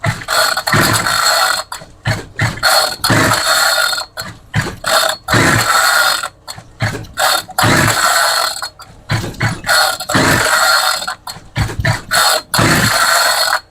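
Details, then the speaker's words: Homelite string trimmer that quit after five minutes, after purging fuel, choke off: repeated rasping pull-cord strokes with no firing at all; cranks but won't start, owner suspects it isn't drawing fuel, plug found wet. "Okay. Choke is off. Okay, still nothing. Sometimes I wonder if it's just not drawing fuel."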